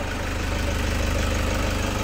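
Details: 2008 Toyota Fortuner diesel, after the suction control valve fault was fixed to cure the crank-no-start. Steady, even idle with a smooth low throb and no misses or knocks; normal.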